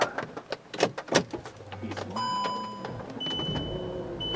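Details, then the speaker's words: 2012 VW Touareg after replacing a very dead battery under the driver's seat; a few clicks, then a brisk, short crank that catches quickly and idles smoothly, cranking much faster than before. Normal fast cranking and start. "Well, it started way faster, cranked way faster than it has pretty much in a long time, so it's a good sign."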